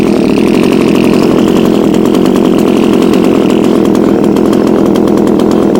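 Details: Discarded Echo HC2000 hedge trimmer after primer bulb replacement, cold start with poor oil mixture and Seafoam added: small two-stroke revving high and holding a steady even buzz, no stumbling; normal running, smoking from oil mix.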